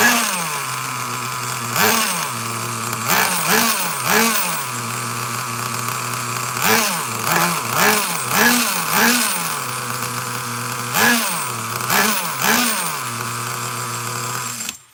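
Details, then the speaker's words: Traxxas Nitro Slash nitro engine on the bench with a new glow plug: high-pitched buzzing idle, uneven blips, hesitant pickup on throttle stabs; owner suspects rich running, low-speed screw found not flush, top end lean in the field. "All right, that thing sounds uh shitty. Shot [ __ ] everywhere. Holy god. Think we have a rich problem for sure."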